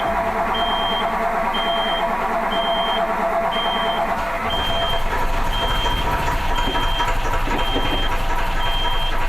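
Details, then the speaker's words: Autosan H9 bus diesel after a long forced standstill: heavy steady cranking under a roughly once-a-second beep from the switched-on power, never catching; fuel lines drained back, and it would not start even with the hand fuel pump. "no nie udało się odpalić tylko i wyłącznie wspomagając się ręczną pompą paliwa"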